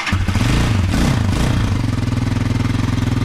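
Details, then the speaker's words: Hawk 250 / TT250 229cc Chinese single, cold start after a valve lash adjustment, unstarted that day and sitting a while, choke two clicks: it fires straight up and settles into an even, quick thumping idle with no valve tapping. "fire up just like that that's one of the great things about just about I don't it just starts so much easier"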